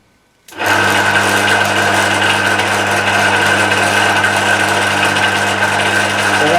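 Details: Emco Maximat V10-P lathe on a phase converter, after cleanup and shear pin fix with aluminium wire; power feed engaged, motor settles into a steady even whir, no knocking; normal power feed operation.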